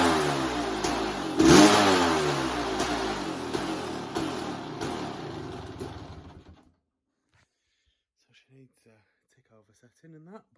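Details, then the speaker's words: 1988 Kawasaki KX500 two-stroke motocross bike, choke not staying up: crisp barks through a few throttle blips, then dies away; runs clean and strong, healthy engine. "sounds good she'll absolutely flipping rip your arms out of the sockets when you open that throttle"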